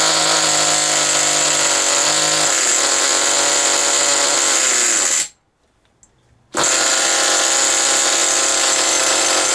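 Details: Original first-generation HPI Nitro Rush nitro RC car started after many years sitting, run about five minutes to burn off old fuel left in the tank: high-pitched buzzing scream dips, cuts out briefly, returns at full pitch; running strong and clean. Exhaust leaks noted.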